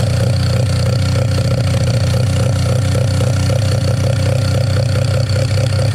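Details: Mazda 13B rotary on EMPI IDA carburetor, after replacing the fuel regulator that wasn't holding pressure: regulator set from about 2 to 3.5 PSI while running and holding steady; deep, even burble settling into smooth idle, no surging or hunting. Normal idle.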